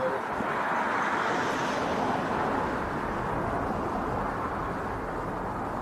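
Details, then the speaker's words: 2004 Yamaha TT-R 250 dirt bike, long sat, on a jump pack: steady even starter churning with no firing; cranks but won't start, carburetor not getting fuel, needle and seat suspected stuck, before starting fluid spray. "there's no telling what's wrong with that carburetor foreign it's not getting gas good spray it"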